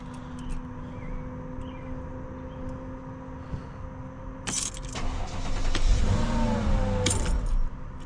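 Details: Mercedes CL500 W215 just after the ABC tandem pump was replaced with a standard power steering pump, new reservoir and extra filter, started briefly with the key: the engine catches after about 4.5 s into an even idle with no whine or groan.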